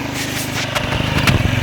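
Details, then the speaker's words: Small engine after valve adjustment and full engine rebuild with new valves, now idling: even single putters with steady beat and no top-end valve ticking; runs healthy. "но не было такого что стук клапанов как он первом видео вот сейчас вот он как работает"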